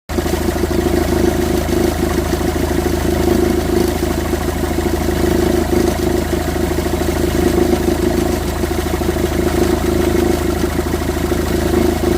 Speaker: Voilà quand on a un bruit un bruit moteur, c'est le tendeur qui achè et on voit il bouge énormément. Je sais pas si on arrive à distinguer le bruit. Ça fait énormément de bruit.